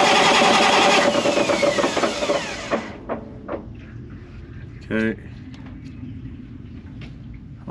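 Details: Caterpillar C15 700 hp diesel generator, about 30 minutes factory run time, 3 years old, injection disabled for oil-pressure check: spins over steadily for a few seconds with even beat and no firing, then winds down; healthy crank.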